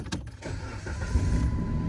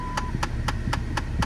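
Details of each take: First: 2008 Dodge Avenger after replacing the HVAC blend door actuator: engine idles steadily with the fan blowing evenly, and the earlier clicking from behind the dash is gone. Normal HVAC operation, no actuator clicking. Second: 2008 Dodge Avenger, engine running: sharp, even clicks about four times a second over low engine and fan hum from behind the glove box; failing HVAC blend door actuator, fixed by replacing it (part 68018109AA).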